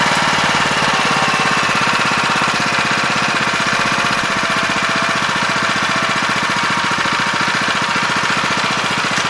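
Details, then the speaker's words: 7 HP Kohler air-cooled single on a hydraulic power unit, unused about two years, after carburetor cleaning: fast busy clatter running slightly uneven; idle speed and mixture screw being reset by ear. "gonna set the engine rpm do a good idle speed I'm not going to do that with any kind of side comment or anything I'm just doing it by ear and then we'll start tightening up that either screw so we hear those RPMs lift a little bit and then we'll back off until we hear just barely saddle back up about a quarter third"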